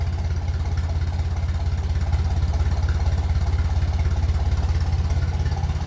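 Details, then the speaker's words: 1957 Ferguson 35 TVO tractor idling just below 600 rpm on a cool evening, warming up after mixture screw adjustment: steady, even low thumping idle with no misses or knocks. "so seems happy enough as I said it's not a warm evening"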